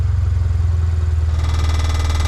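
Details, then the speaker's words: 2021 Mazda 3 Turbo after installing a CorkSport 80mm cat-back exhaust: low engine drone gains a buzzy metallic rattle as it revs; the exhaust in the middle section is hitting and scratching the driveshaft. "It's hitting the fucking drive shaft. Oh my god. It's hitting right there."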